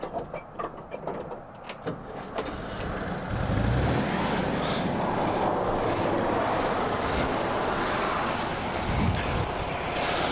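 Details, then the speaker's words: 1971 VW Bus pulled from Montana, a former non-runner, after setting the timing and a cheap carb rebuild and cleaning: catches after a few rough turns and settles into a steady even air-cooled idle with no knocks or misses; normal idle. "honestly this thing was pretty easy to fire up"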